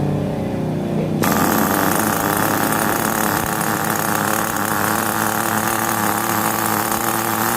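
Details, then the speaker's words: New VX18 nitro engine in an RC car, third break-in tank, throttle/idle raised after it started low: catches and holds a steady high-pitched buzz without stumbling, smoother than earlier tanks; normal idle. "First tank tadi bunyi dia lain, second dah mula lancar, dan yang ketiga dan akan lagi lancar lah."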